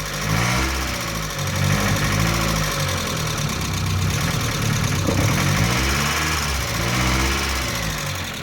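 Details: Mazda Miata 1.6 petrol engine after cleaning hydraulic lifters, warmed up about 20 minutes with revving around 2,000 rpm: runs steadily with gently rising and falling revs and no lifter tick.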